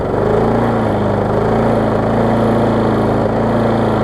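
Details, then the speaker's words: Husqvarna self-propelled mower, about 10 years old, later Briggs overhead-valve engine, warmed up after service and cleaning: smooth, even beat, no misses or knocks, throttle steady then throttling down; running healthy. "although it runs great for what it is it's a later into Briggs overhead valve"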